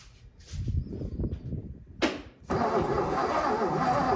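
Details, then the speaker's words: 1957 Lincoln Premiere: slow, uneven cranking for a couple of seconds that never catches, then a rushing hiss. Crank, no start; owner suspects weak battery, weak starter, a stuck, probably bent valve and a severely sticky distributor. "oh well I think I'm going to have to admit defeat on this one this time at least I think there's a couple of things working against me you know weak battery weak starter stuck valve which I'm pretty sure is bent"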